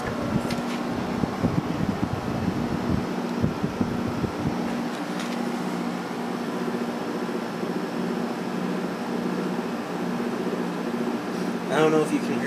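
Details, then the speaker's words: Vintage Emerson Quiet Kool 6,300 BTU window air conditioner with rotary compressor, running: steady fan drone with a low hum and faint buzzing vibration; the motor shaft moves in and out, and the owner thinks a thrust washer is worn. "hear that vibrating sound but the uh the motor shaft is going in and out a little bit because then I think one of the thrust washers is worn out"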